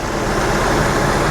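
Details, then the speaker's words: 1982 Jeep CJ Scrambler after swapping Weber 32/36 for Motorcraft 2150 carburetor, timing about two or three degrees from top dead center; steady, even engine note with no misses, knocks or hesitation; normal running. "Yeah, this uh I think this will work out much better in the long run."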